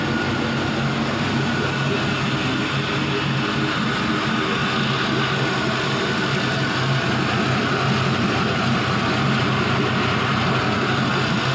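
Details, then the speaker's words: Warm idle of a 5.3L Gen 3 LM7 LS V8 with 180k miles, with an automatic flexplate. Steady, even low rumble with no knocks or misses, and oil pressure holds about 40 psi warm. Healthy engine at normal warm idle. "Even when it's nice and warm, it's still about 40 psi on the oil pressure. It's great. So we're about warmed up."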